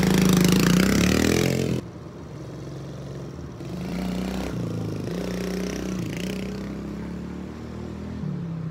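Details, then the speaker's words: Old carbureted dirt bike after idle adjustment screw turned in full turns: sharp rev then drops to a steady even low idle without hunting or dying; idle fixed, runs good. "so there she is running running like it up looks good running good everything seems to be good"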